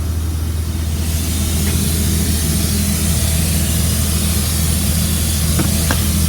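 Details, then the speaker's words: 2004 Blue Bird All American 72-passenger school bus, diesel idling after about an hour of running, not overheating: loud continuous hiss from an air leak under the bus, source unknown; brakes and air-operated door still work. "Not sure where it's coming from, but it does sound like it has an air leak under the bus."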